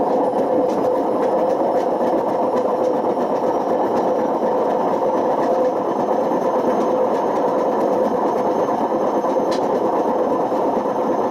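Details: Washing machine on spin with badly worn drum bearings: continuous harsh grinding roar with a gritty rumble and no let-up; damage reached the spider and motor, with risk of smoke, sparks and fire.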